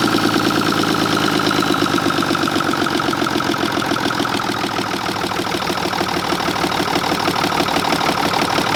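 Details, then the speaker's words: Mack truck diesel running on bad fuel, oil pressure about 55–60 psi: uneven lumpy idle stumbling about three times a second. Number six cylinder gets no fuel from the injection pump, which needs rebuilding. "all the fuel's coming out all this all on the injection pump all them but number six so it's going to have to be rebuilt no matter what"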